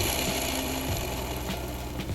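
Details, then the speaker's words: Manual gearbox removed from car, shaft turned by hand: rough, gritty ratcheting from worn gearbox bearings that need replacing. "It's awful. Obviously the bearings need replacing, which means I need to get to them."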